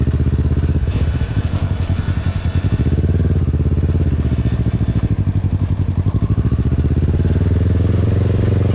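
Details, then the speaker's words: 600cc crosskart on its first drive, oil light on: loud engine with fast, choppy clatter rising and falling with revs from the rear end, possibly the chain or tensioner; the source is unconfirmed. "I don't know if I need a new tensioner or what, but the thing sounds like it's going to implode. >> What is it? Is that the chain sound? >> like [laughter] it's everything rattling back there."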